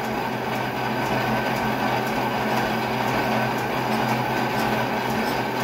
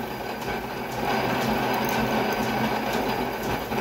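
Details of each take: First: Oversized long drill bit chattering while machining pins for a mini excavator: loud steady rumbling grind with faint regular ticks over spindle hum, the drill struggling in the cut. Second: they are very very light pressure it's just going right in it's not snagging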